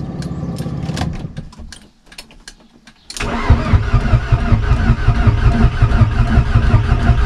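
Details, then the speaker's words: VW Golf 1.8 turbo before its first start after the build. Starter churns the engine in a steady rhythm with no firing, just turning it over to build oil pressure before the injectors are connected. Normal cranking. "je vais monter la pression d'huile"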